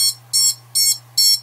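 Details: Diatone GT-R90 90mm quad (F4 board, 15A BLHeli_S ESCs, 4S capable), beeper triggered from the radio switch: even high-pitched motor beacon beeps about twice a second, working normally though not as loud as a dedicated beeper.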